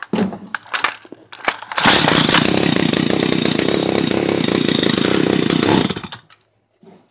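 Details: Stihl HS 45 hedge trimmer, previously a no-start caused by a wire touching metal: a few sharp pull-start rattles, then the two-stroke fires instantly and holds a steady high buzz before shutting off; runs normally.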